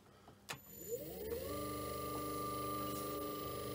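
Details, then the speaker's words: Myford three-phase lathe motor, plain bearings with Permawick replaced by oil-charged wool felt; rising hum settling to steady clean whine, runs well but oil consumption seems a bit high, so later converted to 6203 ball bearings. "at least it runs so maybe a capitulation despite the efforts i made and it works well the oil consumption bit too high i think"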